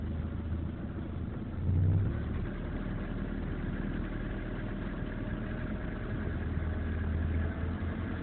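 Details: BMW E36 with M43 engine at idle: loose, uneven knocking about four beats a second over a low drone, internal engine knock.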